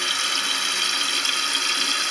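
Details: Toilet cistern with worn float/fill mechanism: steady hiss of water trickling continuously into the overflow (safety hole), fill never stopping; cistern overfilling, fixed by adjusting the float screw to set water level about 1 cm below the edge.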